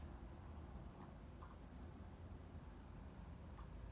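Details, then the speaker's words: PS4 after heatsink cleaning, new thermal paste and seized cooling fan replaced: very quiet, low, even hum; fan spins smoothly and console no longer overheats. "the console is plugged in and running on the TV and fan spinning and it's not gonna overheat anymore"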